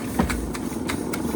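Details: Josef Falk 456/4 Lokomobile steam engine on its first steaming, gas just turned off and coasting on remaining steam, running slow: soft rhythmic exhaust chuffs about four a second over a light mechanical rattle, possibly some slack; normal running.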